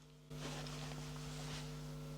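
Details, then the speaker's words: Home theater subwoofers fed from a Trinnov Altitude 32 through a DAC: a constant low hum with steady higher buzzing tones persists after the cables were fixed. "And unfortunately, as you might hear it, the voice is still there. So fixing the cables this time didn't fix the problem, so I have to keep working on it and try to figure out what is the reason for the noise."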